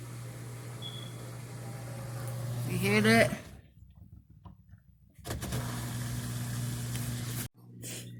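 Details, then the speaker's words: Dishwasher on its drain cycle after the drain pump was replaced: a steady low electric hum with no rattle or grinding as the water drains away. The new pump works normally. "got that pump changed and you can hear it see you hear the water water going down there so we're good to go"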